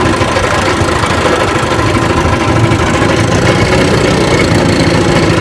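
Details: Rebuilt 1959 Evinrude 18 hp fast twin two-stroke outboard, warm after a test run and still pumping water. Steady burble with an even firing beat and no knocks or misses. Normal idle.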